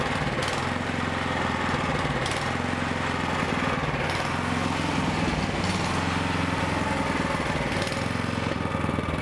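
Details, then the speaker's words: Toro snowblower with an overhead valve engine running unchoked before repair; revs rise and fall every couple of seconds, a carburetor surge attributed to poor fuel, fixed by a basic carburetor repair. "so you can hear the surging you could even see the light go up and down a bit and that's because the engine was actually revving up and down because of the surging"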